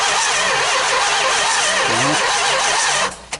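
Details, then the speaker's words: 440 big-block Mopar engine, unrun for 23 years, starter wired directly: engine spins with even compression pulses for about three seconds but never fires; cranks, no start. "but standing on my head here working it's rough but we finally got it rolling over"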